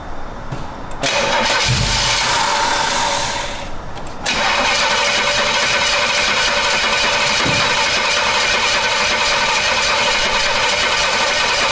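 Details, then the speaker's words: Camaro engine cranks, catches, then runs with loud uneven clattering from the top end; valve cover pulled revealed bent pushrods, which should be straight, causing the racket. "it runs it was hitting our island but it's making the hell of a racket right so we pulled the valve cover and i have a picture but these are the push rods that were in it and they're supposed to be straight"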